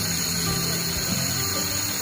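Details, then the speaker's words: Vespa Matic LX 150 electric starter test with a new starter motor: steady high whirring whine held at constant pitch without weakening under continuous cranking, so the starter motor is normal. "Kita putar, dia berputarnya stabil nggak? Kalau dia semakin melemah berarti otomatis dinamo yang lemah ya. Sekarang kita cek. Oh ya. Nah, dia stabil ya."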